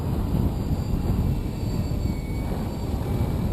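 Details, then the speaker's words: Logo 600 RC helicopter (12S setup) on a single 6S 5000 pack, headspeed about 1050–1100 rpm: deep, choppy whoosh with rough low thumping as the blades need heavy pitch at low headspeed, causing turbulent airflow. "but at low head speeds it takes a whole hell of a lot of pitch so you're starting to hear turbulent airf flow over the blades as they really crank in the pitch"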